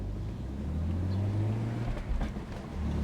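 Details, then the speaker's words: BMW E46 330ci after shifter rebuild, new guibo and diff swap to 2.93: 1-2 upshift with engine hum dipping and recovering, no clunk from driveline, where it previously clunked from first to second when cold; smooth shift. "no amazing did we really solve that that's been an issue on this car for the entirety of the time I've had it"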